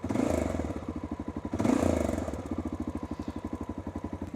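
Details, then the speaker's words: 33-year-old Honda Dominator 650 single near end of ~10,000 km trip, new spoke fitted: even thumping with loose metallic clatter flaring briefly twice; rattle comes and goes, problem never found. Intermittent rattle, source unknown. "il va et vient comme si c'était parti maintenant et vous avez entendu c'était avant que ce ne soit un hochet"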